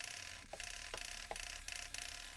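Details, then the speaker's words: Holmes Hobbies direct-power steering servo, repaired after wire damage near the gland, run on a temporary jig from a 2S battery, controlled via receiver: smooth whirring sweeps ending in soft clicks, normal servo operation. "is working perfectly."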